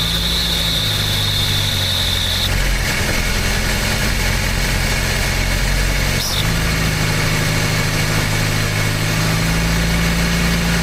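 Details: Old "800" truck engine, recently revived after the distributor was moved one tooth toward #1: deep, loud, steady idle holding an even beat throughout without misses. Normal idle.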